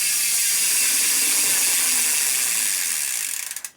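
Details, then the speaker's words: Lapierre 627 e-bike, possibly a 2019 model, with a Shimano E8000 mid-drive motor running in turbo mode gives a harsh, hissy ratcheting grind instead of a quiet whir. It is silent when switched off, and the sound worsens as the motor warms. "so and when this when this motor gets a little bit War warmer that sound gets worse"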